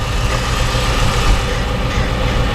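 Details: After intake manifold gasket repair, 2007 Dodge Magnum SRT8 6.1 Hemi V8 idles smooth and steady with no misses, stumbles or ticking; crankcase vacuum leak at dipstick gone, idling better than ever in owner's five days of ownership.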